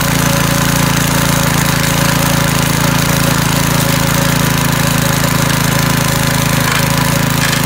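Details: McLean 3.5hp Briggs and Stratton edger after carburetor tuneup and oil change, started cold, blade cutting: steady even high speed, no misses or surging under load; runs well, cuts a nice line.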